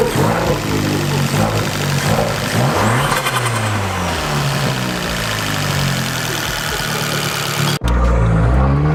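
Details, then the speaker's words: Fiat 500 Abarth turbo petrol after a Forge blow-off valve was installed and the PCV and intake refitted; revs climb and fall cleanly, even beat, no stumble, sounding noticeably different; runs perfectly fine. "so we put it on car runs perfectly fine the sounds pretty different"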